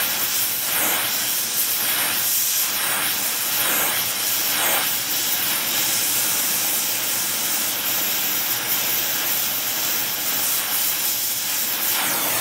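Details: Air Products Integra oxygen and acetylene cylinders with integrated regulators and flashback-arrestor quick connects feed a small mixer torch for welding; trying for a 4 psi setting on a 380 psi gauge. Steady, even roaring hiss, no popping or sputtering; normal flame.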